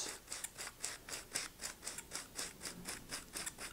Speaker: okay as luck would have it it's gone on uh neatly uh but you can hear that squeaking as it's going and it feels very stiff to me